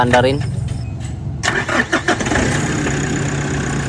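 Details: Nissan Navara that had a no-crank, no-start fault, low power and a check-engine light: brief crank, then the engine catches and settles into a steady, even idle with no stumbling; engine start.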